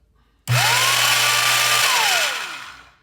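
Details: Vintage Skilsaw 825 worm drive circular saw after full rebuild and reassembly, first run without blade: motor spools up fast to a clean steady whine, holds evenly, coasts down smoothly with no rattle or grind; healthy saw.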